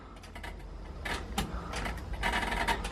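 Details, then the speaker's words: Truck with complete open headers, after reattaching loose battery: irregular light clicks about three a second with no cranking; owner suspects bad starter relay. "Nothing. It sounds like starter relay. Is it this? It's this relay right here that's supposedly bad."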